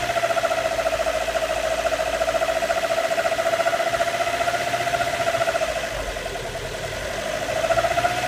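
A steady mid-pitched hoot over the pulsing idle, dipping briefly then returning; an odd whistle from the engine, source unclear.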